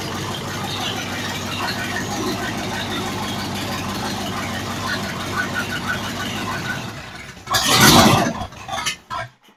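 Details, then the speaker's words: 302 V8 budget rebuild after setting timing to about 12° and adjusting idle, vacuum 16 inHg: an even, settled idle with no knocks or misses, then a quick blip near the end. Runs cleanly. "It's really snappy. It's got around 12 degrees timing in it right now. And it had 16 inches of vacuum at whatever RPM it is. Sounds about right."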